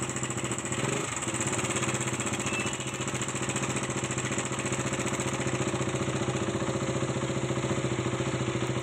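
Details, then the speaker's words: KTM Duke 200 at idle: fast, even ticking rattle from the timing chain area eases once the timing chain adjuster's centre screw is tightened; adjuster releases itself, so the adjuster is faulty and needs replacing, chain itself fine. "பாருங்கள், tight வைக்கும் sound timing sound கம்மியாகுது. இப்போ timing chain adjuster தான் fault."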